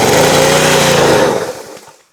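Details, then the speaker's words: Small pressure washer engine (not the 2003 BMW 325i), first start with fuel open, choke on, little gas: loud rough strained roar about 1.5 seconds then sags and dies; owner suspects unloader valve not relieving pressure. "Let's see. Well, that died pretty quick. Oh, what? All right."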